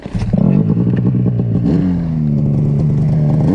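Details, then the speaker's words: Arctic Cat C-TEC2 800 Mountain Cat snowmobile two-stroke, rebuilt after blowing up at 4000 miles with new case halves, pistons, rings, machined cylinders: fires, revs, settles into crisp steady drone, no knock or rattle; runs healthy. "i got the kitty running put the motor in yesterday got everything running uh she's purring along pretty darn good"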